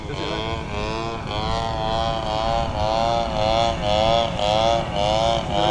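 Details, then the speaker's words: TU 26 two-stroke engine in a converted RC trainer plane (186 cm span) during maiden flight, sounded good at first: high buzz surging and sagging about twice a second instead of a steady scream; sputtering, owner suspects fuel, unconfirmed. "Lihat, kenapa mesinnya tersendat-sendat? Bahan bakar?"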